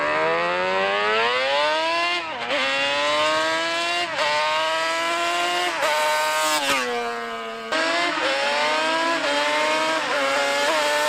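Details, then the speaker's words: Honda Grom with 350cc Banshee two-stroke swap, larger rear sprocket: screaming repeated pulls sounding flat at the very top; rider hears it running a little lean on top end, losing full power, cause suspected not confirmed. "Right now I can hear that it's running a little bit lead on the top end, so I'm not getting the full power."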